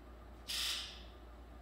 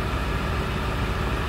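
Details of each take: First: 2002 Ford F-250 7.3 diesel, codes P1291 and P1316, right-bank injector control fault, rough running: injector buzz test gives sharp rasping bursts, alternately strong and faint, first injector muffled; fails test, later traced to rubbed-through 115V injector feed wire near C110. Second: 2002 Ford F-250/F-350 7.3 Power Stroke diesel after repair of a rubbed-through 115V right-bank injector feed wire, valve cover gasket and connector: starts after key-on glow plug cycle, steady even idle with dense low clatter, no misses.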